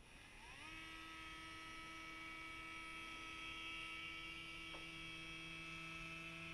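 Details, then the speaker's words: Reproofed Novak Ballistic sensored brushless motor for an Axial SCX10 Rubicon, going into a small tub of water, whines up quickly and holds an even pitch with no grinding or stutter; it is still running normally. "well here we are five minutes later and the motor is still functioning absolutely fine"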